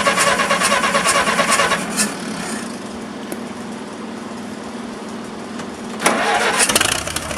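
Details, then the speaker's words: Massey Harris 44 tractor, first start after seven years sitting, points filed with weak spark and some corrosion left in the control circuit: the old petrol engine runs unevenly, surging and dropping back; a slightly rough, misfiring idle. "so running just a little bit a little bit rough"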